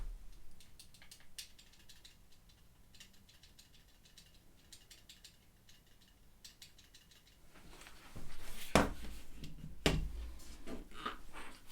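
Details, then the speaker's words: ZSA Moonlander keyboard, big triangular red stabilized thumb key, unmodded before greasing and taping the stabilizer: soft clacks, then sharp presses with a loose metallic rattle of the stabilizer bar in its mount. "So I'll give you a comparison. This is the unmodded one."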